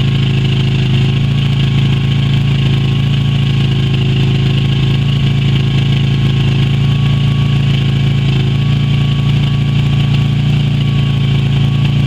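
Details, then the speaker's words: Yamaha Virago XV250 after 6 years in storage, old fuel black; carb primed by squirting petrol until it sucked through; steady, slightly uneven low idle with rough pulsing beat, running on to burn stale fuel. "once it was running I just squirted every so often until it had sucked through everything from the carb and now I'm just gonna give it a chance to run and blow over all the out of it"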